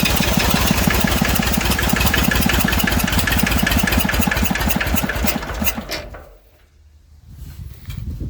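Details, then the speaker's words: Massey Ferguson 35 diesel tractor, not started in weeks, given a little "goat juice." Water leaks, fuel leak; owner suspects injector copper sealing washers. Even cranking chug that never catches, then stops: hard starting, slow to fire. "She tried a little."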